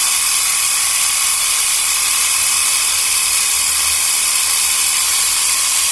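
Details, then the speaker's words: Portable 12 V piston tyre pump near 3 bar (about 2.8), cylinder hot, stopped soon to avoid burning the motor; fast, even buzzing chatter, no knocks as pressure builds — normal running under load. "เอาเท่านี้ก่อนดีกว่าเนาะปืบปึบเดี๋ยวมอเตอร์จะไหม้ซะก่อน"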